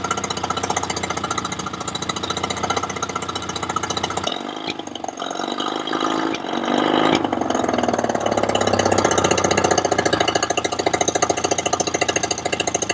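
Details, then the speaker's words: Yamaha 20 HP two-stroke outboard with lean misfire and sneeze, one spark plug disconnected: runs steady and even on a single cylinder, dips briefly when switching; problem only appears with both cylinders firing, suspected vacuum leak. "That's now just running on the top cylinder. So you can see there, it runs pretty well on one cylinder at a time. Both the cylinders run pretty evenly when they're isolated."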